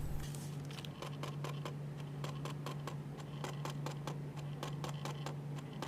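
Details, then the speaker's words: Dropped latest-model Canon 70-200 telephoto lens mounted on a camera body, autofocus normal: sharp, uneven clicking over a low hum when the lens is lifted. The image stabilizer fails to switch on and off properly after the fall. "这个故障一般都是镜头摔过以后防抖出现了问题，不能正常开关产生的异响。"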